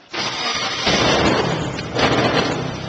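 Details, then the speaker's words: Fisher R80 Tiger Moth biplane, recorded inside a building: engine catches quickly and settles into a steady, even, loud drone at 1,000 RPM with no stumbling; healthy start and idle. "This is the typical noise of this airplane. The engine is purring along smoothly at 1,000 RPM."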